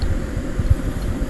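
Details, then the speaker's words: Allis-Chalmers One-Seventy tractor, sat two years, carb cleaned and rebuilt, new plugs, coil and wires: low, lumpy idle with uneven thumps, apparently firing on three cylinders (miss on 2 or 3); owner suspects fuel starvation. "put the battery charge on a little while yeah it still sounds like he's only hitting on three cylinders"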